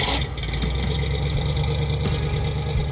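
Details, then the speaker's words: Ford Falcon engine idling with a deep, steady, even rumble and no misses or knocks. Earlier smoke came from oil spilled on the exhaust heat wrap and the ignition timing was set incorrectly; once both were remedied it ran like new. "So the smoking resulted from me spilling oil all over the heat wrap on the exhaust, and the timing was set incorrectly. All right, fired up."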